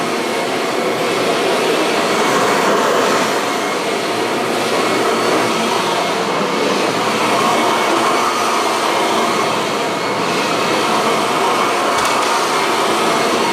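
Steady, even high-pitched motor roar with constant airflow hiss and no rattles or surging; this upright vacuum runs smoothly and healthy.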